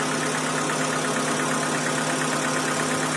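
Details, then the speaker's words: 2012 Hyundai Accent petrol/CNG, brought in for a bad engine noise, restarted after the tappet work: a smooth, even, quiet idle with a steady hum and no knocking or tapping; normal idle after the repair. "अब बहुत सुरीली आवाज है इसकी और अभी चलने के बाद में देख रहे हो बिल्कुल एकदम साउंडलेस हो"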